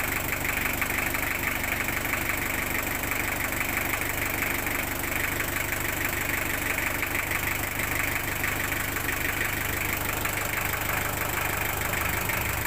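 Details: Engine idling just after an oil change using 5 units of oil: even idle with a soft steady tick about twice a second and a faint hiss over it. Normal idle.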